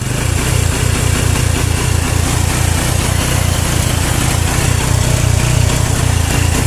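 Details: Honda Revo single-cylinder motorcycle with battery fitted, idling rough (brebet) with uneven, skipping beats; weak charging system starving the ignition.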